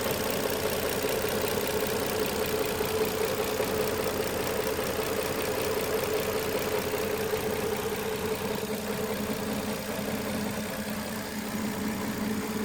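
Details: 2007 Nissan Maxima: even idle with a light, quick clicking riding on top, ticking from the engine at steady speed, source unclear.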